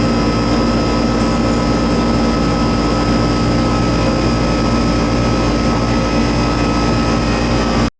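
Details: Old Goodman AC system with a fan-not-running complaint, R-22 previously added and a puffy capacitor: restarted via the thermostat, a steady loud hum with constant fan roar. The compressor is described as somewhat noisy; running.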